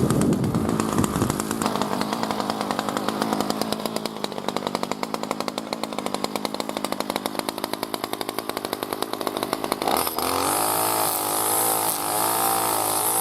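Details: B&Q 25cc two-stroke petrol strimmer, choke open, cutting grass: steady high buzz holding revs under load, then cleaner settled pitch; normal healthy running.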